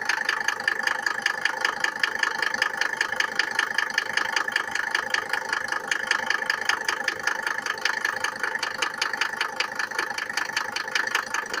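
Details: Mercedes W124 with the OM602 2.5 diesel at cold idle: a sharp, very regular clatter of roughly two to three knocks a second. Diesel knocking hard when cold; cause unknown.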